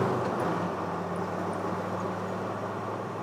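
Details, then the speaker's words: Project Land Rover Defender 110 diesel after Forte diesel turbo cleaner additive, window and vents open, pull-away to 50: smooth steady drone building with no tapping at top revs, unlike before; much quieter. Luggage rattle in back. "I think that's a lot quieter, I really do."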